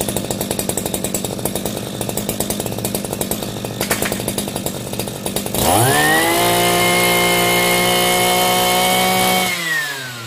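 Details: Shindaiwa B40L brush cutter two-stroke after repair of a no-start, with fuel found mixed too oil-rich: ragged, popping idle, then a quick clean rise to a steady high howl that holds and drops back smoothly; runs fine.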